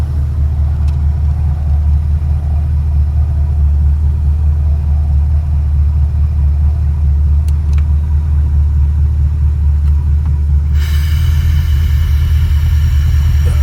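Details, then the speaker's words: 1955 DeSoto Firedome, 291 Hemi, automatic, power brakes: steady deep idle rumble, then a soft airy vacuum hiss at the brake booster unit as the pedal is pushed; pedal is very hard to press, owner suspects worn gaskets or the piston valve inside the unit. "So that's this like vacuum sound when I'm pushing down on the brake there. And so my brakes are really tough. It's hard to push down on the brakes, and so I'm a little nervous driving it around."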